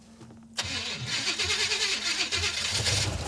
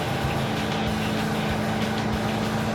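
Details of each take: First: 1970 or 1971 Super Camaro, restarted after header gasket, manifold, carburetor and timing work: it cranks, catches, then idles lumpy and stumbling. It runs awful and glugs fuel; over-rich because the rear carburetor float bowl is set too high. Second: Roadkill Super Camaro carbureted V8 under way after carburetor swap, air cleaner fitted: even, steady drone with no stumble or popping, no longer lean misfiring, quieter; normal running, though not faster.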